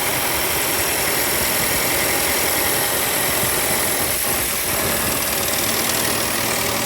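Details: 2019 Audi Q5 2.0T on a cold start: a dense metallic rattle over the idle lasts under 10 seconds after the idle drop and seems to come from the back of the engine; owner suspects camshaft actuator, cause not confirmed.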